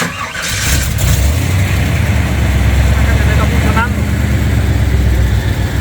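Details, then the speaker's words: Chevy V8 truck right after a new ignition system (8 plugs, 8 plug wires, coil wire), previously not sparking: cranks, catches and settles into a deep steady idle that runs smooth, but not all cylinders are working; misfire. "You can't imagine how happy I am the engine runs extremely smooth but all the cylinders are not working I'm going to have to check a little more"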